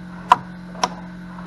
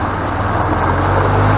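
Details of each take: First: Flood-damaged EZGO gas golf cart from Hurricane Helene: pressing the pedal gives three sharp starter solenoid clicks without real cranking; battery suspected to need charging, not confirmed. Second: Flood-damaged EZGO golf cart after new micro switch and tune-up, test drive: steady even engine drone swelling smoothly with speed under road and wind noise, no knocks or misses; normal after repair.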